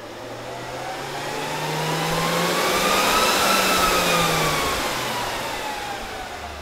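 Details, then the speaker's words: Dell PowerEdge 2950 II server powering up with lid off; fan whine rises to high steady pitch then eases, fans at full speed until self-check completes; normal. "okay so whenever there's an issue or has been an issue for example i've changed ram or something you'll get full fan speed until it's checked itself"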